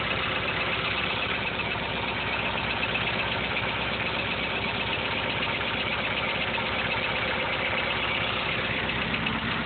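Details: 1.6 TD diesel at idle with about 23 psi oil pressure: a light, steady lifter tick over the clatter, inaudible from inside the car. It is not heard at the exhaust, so not an exhaust lifter. Cause unconfirmed.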